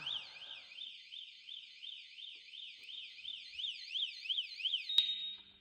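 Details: Kawasaki ZX12R motorcycle, 2,366 miles, long-stored with dead battery, power connected straight to battery leads: high warbling alarm tone sweeping up and down quickly and steadily; alarm has power and works.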